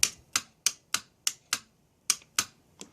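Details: Mercedes E320 throttle body bench test, good reference unit compared against two throttle bodies with dead clutch coils: about nine sharp crisp clicks in three seconds as power is applied; coil engages properly.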